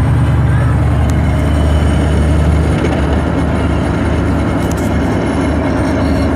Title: Another video of T56 gear noise